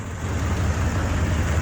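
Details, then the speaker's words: Buick 455 big block V8 hot rod wagon with points and Quadrajet carb, burning oil through PCV, at idle: deep lumpy rumble with a light puffing tick from an exhaust leak; owner also listening for lifter noise. "but I'm gonna fire it up and see if I still have lifter ladder or what's going on other than exhaust leak nothing crazy"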